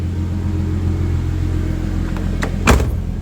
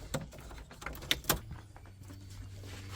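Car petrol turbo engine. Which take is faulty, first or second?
first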